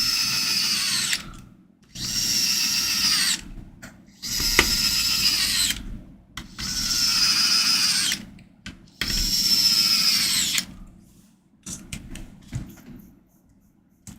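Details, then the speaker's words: HomePod being reassembled, bass test: repeated two-second bass bursts, each with a buzzy rattle over the tone; something inside is suspected not to be sealing correctly, cause not yet found. "something isn't sealing correctly what is wrong here"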